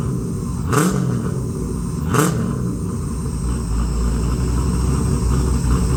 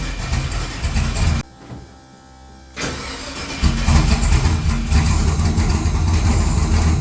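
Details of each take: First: XG ute, converted from carby to Holley EFI, first start: a couple of short bursts as it catches without throttle (idle screw turned up), then a steady low rumble settling into an even idle; normal start and idle. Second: XG ute's first start after converting from carburettor to Holley EFI: cranks, goes quiet, then catches and settles to a steady low idle; reluctant start; it later fired without throttle once the idle screw was turned up a fair bit.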